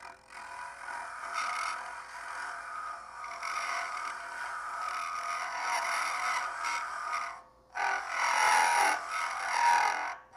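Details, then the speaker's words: Woodturning a Christmas ornament on a lathe with Easy Wood Tools: a rough rasping scrape rising and falling in uneven bursts as the tool moves. The cut is running against the grain and chattering. "what I'm when you hear that noise I'm back in here right here that's why you're hearing that noise you're going against the ingrain"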